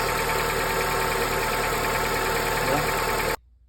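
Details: 2006 Honda Accord at idle: even, steady idle with clean mechanical hum and no whine or grind from the accessories; sounds healthy. Earlier whine/grind was traced to leaking power-steering pump O-rings, which were replaced.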